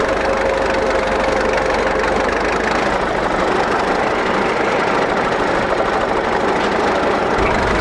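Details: 1941 Caterpillar dozer that sat for years, started via pony motor: loud, steady diesel clatter at low idle with no misses or surging. The control shuts it down when pushed forward, so it will only idle for now. Normal idle.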